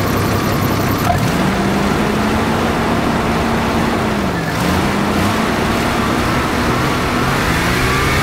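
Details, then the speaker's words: 1990 Jeep Cherokee XJ Renix 4.0 L, previously knocking badly, after loose flex plate bolts were tightened: engine revs up and settles smoothly, pitch rising and falling cleanly with no bottom-end knock; normal revving. "foreign X um sounding a hell of a lot better now that Flex Plate's bolted up all the bolts released"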